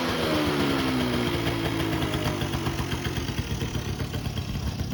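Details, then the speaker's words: 1984 Honda Aero 50 two-stroke 50cc scooter, first run in 5 years after freshly rebuilt carb, air mixture screws about 1.5 turns out: quick, fairly even putter settling after a brief rev; idle set well, normal idle. "so i have uh the idle set pretty good i think um the air mixture screws like one and a half out that's about perfect and uh this thing seems to be running good"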